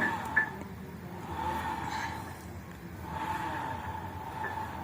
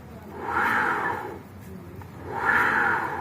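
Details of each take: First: 2014 Honda Vario Techno scooter, CVT cover open, rear wheel spun by hand: soft, even gear whir from the final drive, judged healthy, checked while tracing a whining, slightly rough noise. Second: Honda Vario Techno CVT, pulley fitted without the bell and rear wheel spun by hand: gritty mid-pitched whirring grind in rising and fading bursts, confirming the whine comes from the worn pulley housing bearing.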